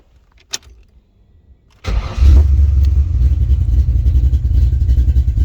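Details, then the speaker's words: Carbureted engine with new spark plugs fitted that morning: brief crank, then it catches at once and settles into a steady, even low idle with no misses. A clean, healthy start. "I put new plugs in this thing this morning. It's this simple."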